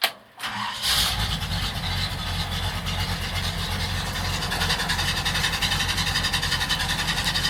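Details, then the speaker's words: 1951 Chevrolet 3100 pickup, small block 5.7 V8 automatic, Edelbrock carb, straight piped, slightly warmed: cranks and catches, short high squeal and chirps just after start, then loose lumpy idle, oil pressure about 40; likely slipping belt. "A little bit of a belt squeal there, chirps a bit."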